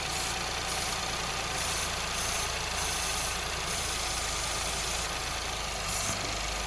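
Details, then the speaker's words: Ford Fiesta, believed to be the 1.0 litre, with lean code P2187 at idle. Brake cleaner sprayed on one side of the engine makes the idle note change and fuel trim go rich, revealing a vacuum leak that seems to be on a pipe there. "Look at it. Going rich, guys. Somewhere here's a vacuum leak this side. Somewhere is a vacuum leak."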